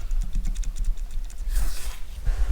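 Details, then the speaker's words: TVR Speed Six cylinder head stripped down, exhaust valve rocked by hand in its guide: quick light metallic clicks showing excessive play; worn exhaust valve guide, suspected cause. "But the two exhausts I've done so far are a lot worse. Can you see the You can probably hear it as much as see it. I know there'll be an amount of play and the exhaust get hot, but that seems like way too much."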